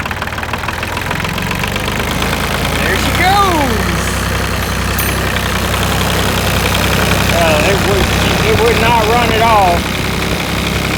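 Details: New Holland TC33 tractor diesel that had sputtered and stopped, after a new fuel filter and fuel line and bleeding air at the bleeder screw: it catches and settles into a steady clattering normal idle without sputtering.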